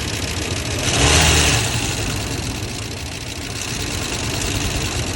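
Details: 1990 Ford F-150 XLT Lariat 5.0 V8 at idle and revving, after oil and filter change with Lucas additive: fast tapping knock that quickens with rpm, heard both underneath and loudly up top; owner doubts rod knock, cause unknown.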